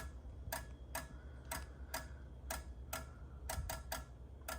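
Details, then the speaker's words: Fire alarm system monthly test: the strobe synchronization module in a red box, switched on by the strobe circuit control module, gives sharp dry clicks about once a second over a quiet room hum; normal sync module clicking. "foreign clicking there is a red box which is a synchronization module to keep the strobe synchronized wheel locks will synchronized modules are quite noisy"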